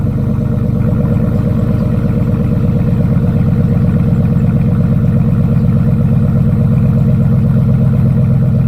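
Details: 2004 Chevrolet Suburban V8 with Dynomax bullet race muffler, new power steering pump, cold start after sitting a week: deep even burble at fast cold idle, steady pulses, no knocks or squeals; normal healthy cold start idle.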